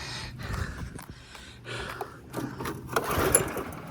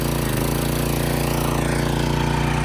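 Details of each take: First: Craftsman pressure washer with a Briggs & Stratton engine, after cleaning a clogged bolt hole, in run position with choke in, about 100°F: four recoil pulls that rasp and never catch. Tank was empty because fuel leaked out when flipped over. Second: Craftsman pressure washer with a Briggs & Stratton single-cylinder engine, after clearing the clogged bolt hole and refilling the empty tank: steady, even low thump with no stumbling or surging. Runs cleanly and sounds healthy.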